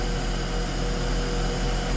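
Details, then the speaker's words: Mercedes S280 Airmatic air suspension with the dash warning showing: the compressor, located under the front, runs with a steady, even drone and low hum, but the car does not rise. Cause not yet confirmed. "kalau kita dengar kompresornya hidup kompresornya nyala Hai tapi di ini enggak mau naik"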